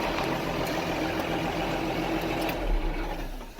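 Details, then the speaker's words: Case IH MX 135 tractor just back from mechanic repair, all new fuel filters: steady, even diesel idle clatter with no misses, knocks or hunting; running normally. "anyway yeah other than that she's fine fire it up running good running good"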